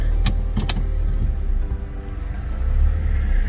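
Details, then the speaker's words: Car reversing while turning right after front brake pad replacement: only low road rumble and a few light clicks, no more squeaking from the brakes. "i'm reversing turning to the right and there's no more squeaking sound from the brakes"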